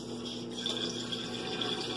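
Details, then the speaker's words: Electrolux LF 11 washing machine that wouldn't drain, with a burning smell, after drain pump replacement: steady pump hum under rushing, gurgling water being pumped out; the new drain pump works and the tub is clearing. "Ele tá saindo, ó. Aqui. E sai por lá. Tá? Está saindo aqui, ó. Tá certo? Tá puxando, sinal que funcionou."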